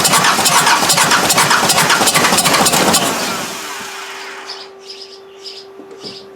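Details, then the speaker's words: Freshened Mazda engine for offroad build, first start after injector refit with return line still filling: starter cranks with fast regular clatter, almost fires but dies; owner suspects timing belt set one tooth off. "maybe maybe because the belt didn't line up quite right i went one tooth maybe it's supposed to go the other way that could explain something"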